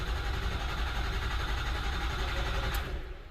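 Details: 2005 Ford F-350 6.0 Powerstroke diesel with failing IPR valve and ICP code, cranking after crank-assist pre-charge on weakening batteries: starter churns at about three beats a second with no firing, then dies away while the high-pressure oil refills.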